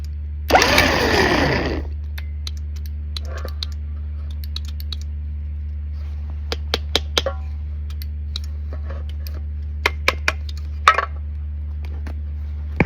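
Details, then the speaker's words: Winch on a Suburban camper will not run in reverse. Scattered irregular faint clicks come from the solenoid and relay control box over a steady electrical hum, with no engagement. Owner suspects that module; the cause is not confirmed. "Let's see where is this clicking coming from. This has the clicking in it."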